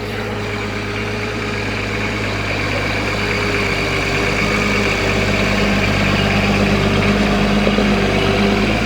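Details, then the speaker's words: Diesel engine from an approximately 1984 60 series, just under 900,000 original km, never opened, aftermarket turbo: steady even idle with faint high turbo whistle, no knocks or misses; normal turbo diesel idle. "he sounds good too nice whistle to her straight off the"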